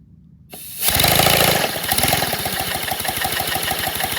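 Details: 157cc 3D-printed inline-twin compressed-air engine, redesigned: after a hiss it settles into uneven chuffing pulses about four a second. It runs rough; the cause is not confirmed.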